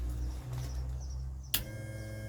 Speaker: Bilge pump. Can you hear that?